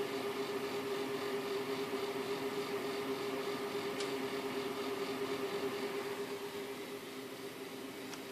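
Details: Radeon 7950 graphics card fan, recorded for a support ticket: constant whirring with a steady humming tone over the airflow; strange fan sound, cause not yet known.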